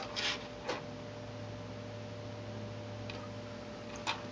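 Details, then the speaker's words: Tascam 112 cassette deck after restoration and service, transport buttons pressed softly into pause: very quiet steady hum with a few soft clicks, no clunks or squeal, healthy transport. "i'm gonna pause it i'm gonna actually try to press these buttons really softly so you'll see what i mean"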